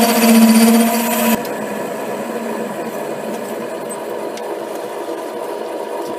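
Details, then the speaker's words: HiTorque 5100 7x16 mini lathe facing old, likely cold-rolled steel: a steady ringing tone over the cut for about a second, then a duller, even hiss; tool chatter, with spindle speed being turned down. "Turn the speed down to see if I can get rid of some of that chatter."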